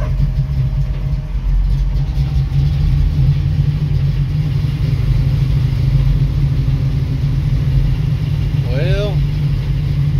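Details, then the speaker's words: 1966 Mustang with Holley 650 double pumper carburetor, after transfer slot adjustment: a steady low even rumble holds without throttle blips, though engine is a little cold-blooded; a dog barks briefly. Carb now idles on its own, normal idle. "that's about the longest I've ever seen this car stay on it's a little cold blooded so that's about to [Music] die it's on though so it's wanting idle idle circuit"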